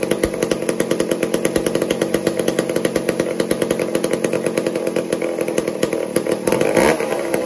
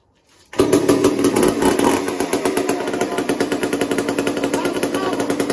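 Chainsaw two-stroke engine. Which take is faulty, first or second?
second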